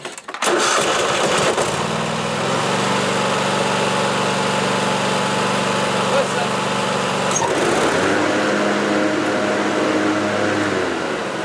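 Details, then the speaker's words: Sears lawn tractor after mower deck switch temporarily rewired on 12 V circuit; engine runs steadily, then note shifts as blades engage and keep turning evenly; normal deck engagement. "now if you listen carefully you should be able to hear the blades start up"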